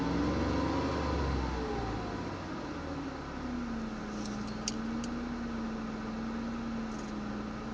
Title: Ford Mondeo ST220 rough idle